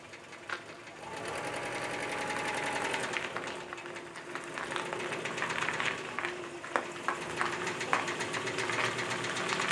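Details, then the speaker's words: Subaru Brumby engine with a blown head gasket runs thinly with a rapid, sharp rattling knock about four times a second: rod knock. "bone head gasket and then a rod knock [Applause] you can hear you can hear it not a rocking yeah"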